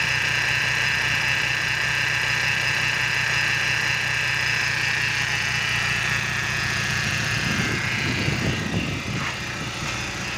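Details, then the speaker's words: BMW E46 with N42 four-cylinder, before repair: rough, shaky idle with hissy whoosh, coughing exhaust and heavy vibration, caused by a failed crankcase oil separator. "balik lagi di Otomotif Net kali ini BMW e46n42 getar parah nih kondisinya"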